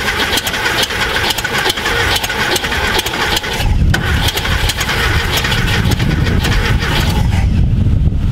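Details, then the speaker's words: VW Thing Type 181 sitting since 1989 (32 years), on a borrowed Tundra battery with spark confirmed; uneven, lumpy cranking that never catches, one cylinder sounds weak, owner suspects low compression; cranks but no start. "this that doesn't sound good maybe we have a little compression that doesn't sound good i'm going low compression that cylinder does not sound good"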